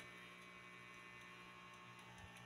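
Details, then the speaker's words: DB Audio integrated amplifier after replacing four transistors for DC-out fault and resoldering tone control: faint steady low hum and quiet hiss, no loud drone; minor hum left because components not yet grounded. "May konting humming na lang siya kasi hindi pa natin naayos yan, hindi pa natin nalalagay. Hindi pa naka-ground yung mga components natin."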